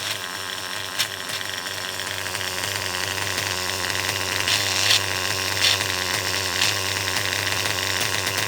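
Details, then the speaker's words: R5 engine running steadily with a high, buzzy note while sharp random clicks pop in about every second, an intermittent internal rattle; the owner suspects a bearing going out, the clutch setup was checked, and the engine is to be pulled. "it's about the Chipmunk running around in my uh R5 I don't know if you could hear that just kind of that random noise maybe a bearing's going out"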